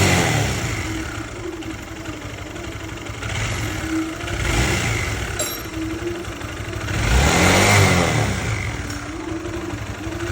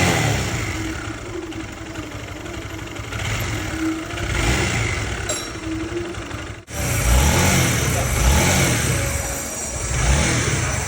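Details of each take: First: Honda CB150 motorcycle engine idling and revving, owner's complaint a clunking tensioner and rough running: a busy, clattery mechanical noise from the top end, slack cam chain rattle, heard before teardown; ECU scan showed no faults. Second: Honda CB150 after engine rebuild (complaint was tensioner clatter; worn block found) and cleaned throttle body: throttle blips in repeated rises, running smoothly with no ticking or knocking.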